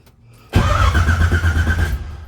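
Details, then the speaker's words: 1980 Trans Am with TH400, mechanical fuel pump, first cranking after stabbing the distributor to fill the carburetor: steady starter whir, even cranking pulses, not catching; normal cranking. "I'm gonna crank it over because it's a mechanical pump if we had an electrical pump I could just switch turn it on but uh I'm gonna get that carburetor filled up"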